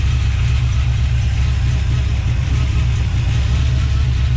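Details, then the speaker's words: 1970 Plymouth Duster V8 with adjustable rockers, water-spray test: deep, loping, uneven idle; cylinders 2 and 8 dead, 4, 6, 1 and 7 weak; owner suspects valve lash or hydraulic cam issue. "firing those two are dead they're not as hot as this as uh two and eight four and six are weak so four and six over there a week one and seven over here a week"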